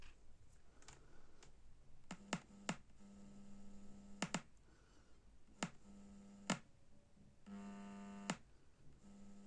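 A low buzzing hum comes and goes in short stretches, broken by sharp clicks; the amplifier is humming, but the cause isn't clear.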